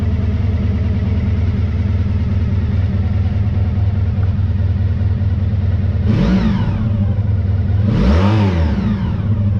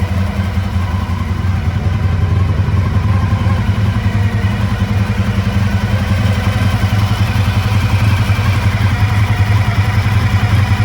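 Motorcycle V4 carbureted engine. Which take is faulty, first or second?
second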